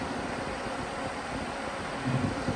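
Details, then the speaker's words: Newly installed travel-trailer RV refrigerator vent fans, temperature-controlled and temporarily wired to the battery, speed up as the setpoint is lowered to 80: steady, even whoosh at full speed with no rattle or scrape; fans running normally. "So you hear it speeding up. That's because I'm lowering the temperature down on this to 80."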